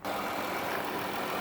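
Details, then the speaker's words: 2012 Dodge Caravan SE mobility van, 3.6 V6, 1,954 original miles, hood open: steady, smooth, even idle with no knocks, ticks or roughness. Normal healthy engine. "the hood it has a 3.6 v6 engine idle smoothly sounds good"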